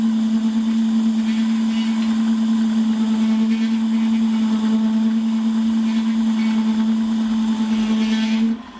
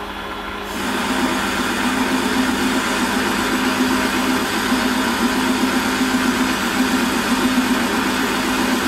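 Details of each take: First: Holzmann ED400FD lathe turning a long bar to 24.85 mm diameter, with a half-millimetre depth of cut and no tailstock center. Loud, steady ringing hum near 210 Hz with light rattling. Chatter from the long unsupported overhang; a center would reduce it. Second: Holzmann ED400FD lathe, automatic feed, 1 mm infeed, workpiece supported by a live center. Even spindle hum under a light cutting hiss with no chatter; noise is clearly lower and vibration almost zero. Smooth cut.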